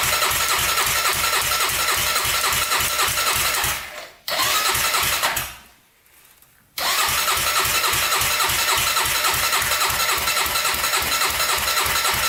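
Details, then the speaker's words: 1999 Honda 400ex carbureted single, first start attempt after a turbo install. Starter spins steadily about 3.5 beats a second and never catches; owner suspects weak battery or fuel not pulling that far; cranks but won't start. "huh maybe a stronger battery here doesn't want to run i don't know if i can pull up that fuel that far a little bit worried about that"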